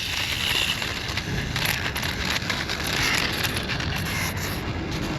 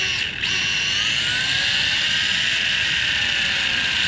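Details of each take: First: X-Rider CX3 Air 1/10 scale RC motorcycle after a crash at top-speed test: rough, irregular crunching and scraping from the spinning rear wheel, the damaged gyro flywheel hitting parts inside its housing. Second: X-Rider CX3 Air 1/10 RC motorcycle with a 132 brushed motor on a 7.4V 2S battery, first power-up: the gyro built into the rear wheel spins up with a clean whine that settles into a steady high hum, a normal spin-up.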